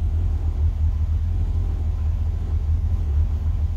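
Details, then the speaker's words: 1963 Falcon, turbo 2.3L, aftermarket throttle body and IAC: deep, even, low rumble holding steady with no stumbles or surging. Idle brought down, tuning still touchy as IAC and throttle blades interact; owner considers a smaller throttle body. "well i got the idle down so i guess that's a success i got a little work to do with it yet on tuning it's really touchy"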